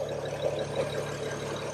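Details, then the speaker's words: 2006 BMW E92 335i, cold start heard with the driver's door open: smooth, even idle with no loud ticking from the turbo side, indicating the wastegate actuator arms don't need replacing. "as you can hear this one runs smooth"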